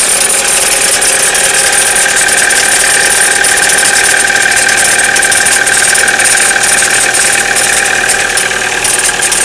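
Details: Chevrolet Cruze, cold start below 0°C: a steady, high metallic ringing rattle over a fast cold idle that disappears after about a minute; no noise at 0°C and above; origin unknown.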